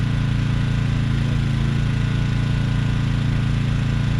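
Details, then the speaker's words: Briggs & Stratton Storm Responder 5500/8250 generator after carburetor replacement, powering a camper: loud steady single-cylinder drone holding speed evenly; governor fine, running normally. "Alright, got this thing set up and it's powering the camper. I put a bigger load on it, it'll pull the well."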